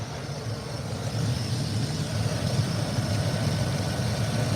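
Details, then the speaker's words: Ford diesel on its second engine: idle lumpy and hunting, slowly rising and falling. It smells of burning metal and runs rich. Owner suspects a sensor or the fuel pump; not confirmed. "she's uh you can't really hear it but she's there she's going up and down kind of isn't too happy in life right now"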